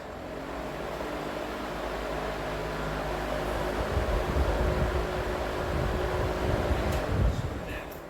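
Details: Vintage 1960s Emerson box fan after cleaning and motor oiling, intake mode on low speed: soft steady low hum with even tones, no ticking, rubbing or wobble; smooth normal running.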